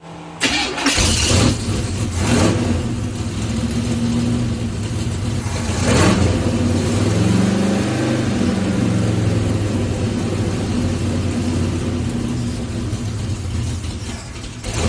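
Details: 1977 Corvette C3 V8 starting and idling unevenly with a faint hiss and wavering revs; vacuum leak diagnosed as cracked intake manifold, later replaced and carb rebuilt, timing issues remain.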